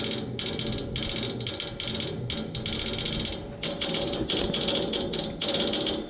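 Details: Neighbor's AC outdoor unit, nothing running, motor replaced yesterday: fast sharp ratcheting clicks in bursts with short pauses from inside the unit, not the fan; stops when the fan comes on; repairman couldn't reproduce; cause unknown.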